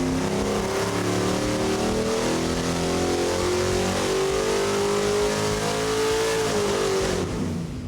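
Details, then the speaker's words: Small block Ford V8 on dyno, 950 CFM carb: strong steady roar climbing smoothly through a full-throttle pull then cutting cleanly; healthy, about 400 hp. "Look at that, 399.9. I'm gonna go ahead and call that 400. I would give it that. That's nice and smooth. Good torque. Good everything."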